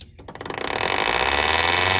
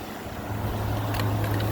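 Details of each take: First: 2014 Frigidaire 5000 BTU window AC, GMCC rotary compressor, unused five years, first power-up on fan only: motor hums up to speed, then fast steady raspy scrape over the whir; fan blade rubbing bent case and debris. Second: A 2014 5000 BTU Frigidaire window AC, unused 5 years, on high cool while building head pressure: a low steady hum with even fan rush and no rattles. Coil 53, condenser 64, lines sweating, and the compressor runs normally and quietly, ice cold.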